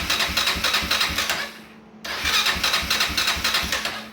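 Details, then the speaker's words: Honda TRX400EX ATV just after a starter clutch (one-way bearing) replacement, on a jumper battery with the kill switch off. Two bursts of even starter cranking at about four compression pulses a second; the starter now turns the engine over cleanly. "I do have the switch off, so it won't start, but it will crank for us."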